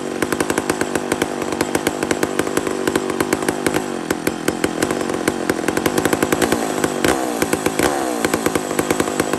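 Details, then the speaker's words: Mac 125 SP chainsaw after carburetor tuning, with a worn chain and a slightly worn or loose bottom mount. A strong, steady, high-pitched two-stroke scream holding speed evenly without stumbling or surging. "this is this couldn't have went better friends this could not have went better this thing is ripping"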